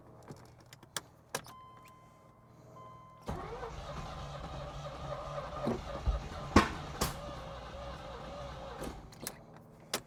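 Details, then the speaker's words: 1986 Chevy Corvette C4 project car, fresh spark plugs, cranking with starter fluid sprayed in intake; starter churns several seconds with a few ragged attempts to catch, then dies. Cranks but won't start; fuel pump not priming suspected. "So, I I I definitely heard it trying to combust, trying to turn on."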